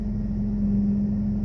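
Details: 2001 Toyota Camry after replacing the timing belt, roller and pulley and fitting correctly rated fuses to fix an erratic rpm fault: a short, steady, even hum with no misses or surging. It is a smooth idle.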